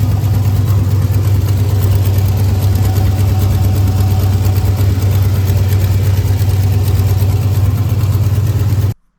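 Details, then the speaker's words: Turbo car, nearly straight-piped, fiber header gaskets from kit blew within 3 hours with boost loss: loud, raw idle with rapid puffing pulse over the rumble; owner suspects exhaust manifold gasket leak, replacing with MLS gaskets. "that's why I think it's a header gasket um obviously"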